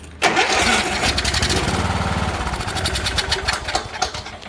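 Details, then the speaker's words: Troy-Bilt riding mower with Kohler Courage engine, turns over but won't start: cranks, fires briefly on brake cleaner sprayed into the carburetor throat, then dies; compression and spark present, so a fuel issue. "so what does that tell us folks that tells us we have compression it will run and it has fire so we know it's a fuel issue"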